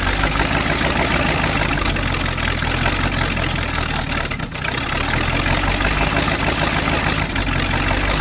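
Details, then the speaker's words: V8 Chevy in a Curtiss P6E replica biplane, unrun for 22 years, after timing and carburetor adjustments. A loud, steady, deep roar at even speed with no stalling or popping; it keeps running. "America! Fire breathing, spitten V8."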